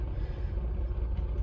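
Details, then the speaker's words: Austin Allegro fully warmed up, with a slightly shaky idle, just after the carburettor idle adjustment was turned clockwise and the engine was revved out. It settles into a low, even, smooth idle; normal. "turn clockwise as you can hear it's already a bit more comfortable and I've rubed it up as well"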